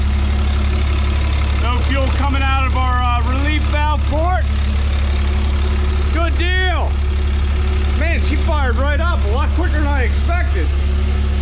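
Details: 1000 hp 6.7 Cummins drag truck build with a new diesel fuel cell, AirDog lift pump and five-inch straight exhaust with the resonator removed. Deep, even idle after a quick start with no miss or knock; the engine sounds healthy.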